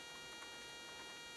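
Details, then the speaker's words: RØDE Wireless GO II microphone into a Sony ZV-1 camera, tested with the stock RØDE cable: a steady thin electrical buzz from a ground loop under the quiet recording. It is cured by a different cable plus a ground loop noise isolator. "So there is the buzzy sound."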